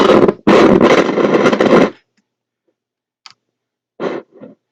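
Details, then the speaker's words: Ferris car/portable transistor radio dug wet out of a landfill, after contact cleaner was sprayed on the car/portable switch. Hissy, crackling bursts of audio cut in and out; intermittent, noisy output. "okay we have oh we have audio I can hear it now"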